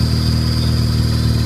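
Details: Car with newly shop-installed Exedy stage one clutch kit, both bearings, new flywheel and master cylinder: thin steady high chirp over even idle in neutral about 60 seconds after cold start, briefly killed by clutch tap; owner suspects bad fork.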